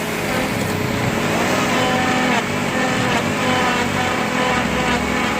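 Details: Renault Kwid three-cylinder creeping under load in reverse gear: dry whirring and growling rising and falling over engine hum, like an unlubricated bearing; gearbox to be opened, cause unconfirmed.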